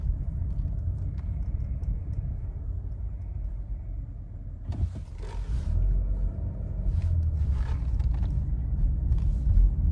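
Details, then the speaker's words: Nissan Rogue with newly replaced engine, road test over parking-lot bumps after the loose sway bar link (not tight against the strut), blamed for the front-end knocking, was found: low steady road rumble, a couple of soft thumps, no knock or clunk; noise gone. "Sounds pretty quiet to me."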